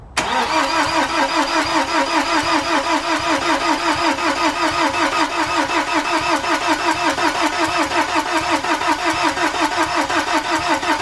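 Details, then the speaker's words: BMW N47 diesel first start after timing chain replacement and engine reinstall, battery left connected for weeks: starter drags slowly and unevenly, about two and a half compressions a second, never catching; flat battery. "so if you haven't already worked it out we have a flat battery now I was kind of hoping this wouldn't be the case but to be honest it is to be expected"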